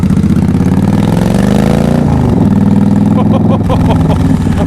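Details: Yamaha XVS / V Star 1300, back running after being out of action all January with a few issues: deep, loping V-twin idle with even, steady pulses, no misses or knocks; audio somewhat muffled; normal idle.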